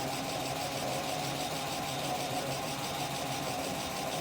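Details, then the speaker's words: BMW E36 M3 at 189,598 miles, first start after ignition switch repair, cold idle: fast light ticking with a steady high whine; owner suspects the power steering pump for the whine and VANOS for the tapping. "Yeah, I'm pretty sure that's the power steering pump. This thing would quiet down a lot. A lot of that tapping might be due to Vanos too."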